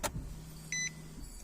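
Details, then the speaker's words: 2015 Nissan Micra that ran briefly then would not restart: faint low fuel pump hum about a second at key-on with chime; pump primed this time and car starts, so the fuel pump is suspected intermittent and later confirmed failed. "I don't know if the video is going to pick that up but the fuel pump actually ran now but the vehicle starts and runs now as well so I suspect the fuel pump is intermittent"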